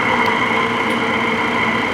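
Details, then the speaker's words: LG 5,000 BTU window air conditioner received as faulty, running with compressor on: steady loud hum with raspy chafing edge; loud fan noise, suspected dry motor bearing. "does sound a little loud on the loud side yeah or the chafy side side yeah the motor got that got that dry shapy Baron"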